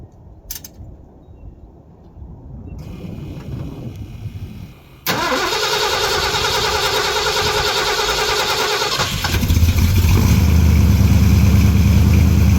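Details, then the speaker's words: Carbureted big-block Ford with 750 CFM Brawler carburetor, choke set, carburetor bowl about 30°, carburetor and intake stone cold: cranks briefly, catches cleanly, settles into a steady, slightly raised choke idle with a firm low rumble; normal cold start. "Okay, I didn't pump it enough at first, but that's pretty good for a cold start."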